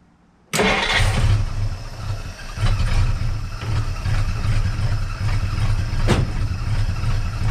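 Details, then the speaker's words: 1958 Dodge Coronet Lancer V8, a barn find that sat 30 years, choke wired open, idle set lower, exhaust manifolds smoking. It catches into a lumpy, stumbling idle, not running on all eight cylinders. Owner suspects the points or distributor bushings. "I'm definitely convinced it's not running on eight cylinders"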